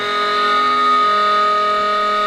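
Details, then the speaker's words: Self-running 2-stage Tesla turbine at high speed: a steady, piercing high whine of stacked pure tones. It is a harmonic from the lubrication and bearings, which can't push lubricant aside fast enough, and the rotor isn't balanced to Tesla's pattern. "It's a harmonic with the lubrication and the bearings. And this wasn't balanced with Tesla's patent."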